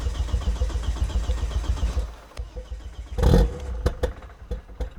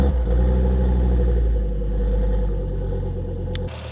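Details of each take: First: 1999 Volvo T5 2.3 turbo five-cylinder after rebuild, fuel line pressure bled out: cranking, then a stumbling start with ragged, uneven firing on only about two of five cylinders; cause not confirmed. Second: 1999 Volvo T5 2.3 turbo five-cylinder after rebuild, restarted after fuel pressure bled out; deep, even idle with a slight blip that settles, no knocks or misses, no leaks found.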